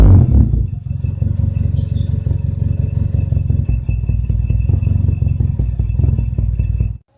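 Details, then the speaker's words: Carbureted car warming up at idle: uneven, stumbling "brebet" exhaust beat; misfire. Owner suspects late or dirty fuel, a dirty carburetor, or the spark plug, or points on point-ignition cars; plug found wet and spark-starved. "Seperti tadi waktu saya panasin, mesin ini di suara knalpotnya aja juga udah nggak enak ya, berebet kayak gitu, kayak ada sedikit permasalahan kalau nggak bensin telat, kotor, karbu kotor gitu ya."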